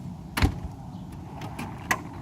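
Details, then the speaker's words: 1999 Mercedes CL500 trunk soft-close, corrected after the wood paneling was tightened: a soft thud, then a couple of light latch clicks as the lid draws itself shut cleanly without grinding; working normally. "and I made the wood paneling tighter so the soft claws of the trunk is also corrected so"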